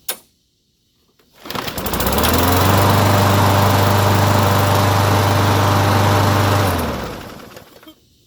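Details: Push lawn mower, after cleaning the carburetor, fresh gas and oil check: engine catches after a second and holds a steady, even buzz before winding down; normal running after repair.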